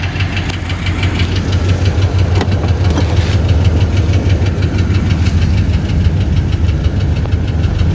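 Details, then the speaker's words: 1984 Chevy Caprice wagon, 305 V8 with 700R4, just driven three hours: a steady V8 idle with a light, fast tick about three a second. The owner suspects a bad exhaust manifold gasket or a cracked manifold; not confirmed. "we either got a bad gasket on this side or a crack manifold that's pretty common"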